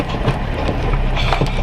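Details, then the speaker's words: Smart car on pull-away after replacing rear anti-roll bar bushes, drop links and bump stop for noise from the rear passenger side: low road rumble with irregular sharp rear knocks. Lift-off judder is resolved but the clunk remains; cause unknown. "so after all that work hasn't really changed anything except for when I lift off to accelerate uh from start off there's no judder from the back it's resolved one issue but I still got the noise"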